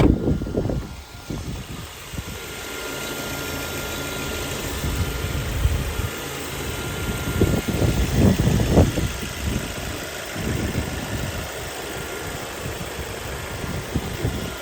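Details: Ford Focus with full service history, warm engine heard in the engine bay: smooth, even idle with a low steady hum and no knocks or ticks, apart from nearby handling noise; healthy engine.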